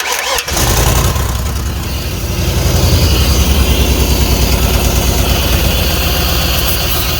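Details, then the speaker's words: Early-2000s (about 2001) Chevy Tahoe, 5.3 V8 with 4L60E, bought cheap for parts, started in park on sprayed carb cleaner: it catches and runs ragged and uneven, then steadies a little with throttle as the cleaner stops spraying well. "Killed it. Well, I think that was good enough. It cleared up a little bit. I gave it a little throttle, but the old car cleaner stopped spraying real good."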